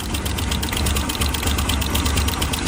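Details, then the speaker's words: Previously repaired motorcycle engine idling: fast, busy metallic rattle over low rumble; slack timing chain with play felt by finger. "这种声音，一般都是这种链条松了导致的。你看，用手指这样动一下都有间隙了哇，但是呢，启动起来它的声音还是蛮大的。"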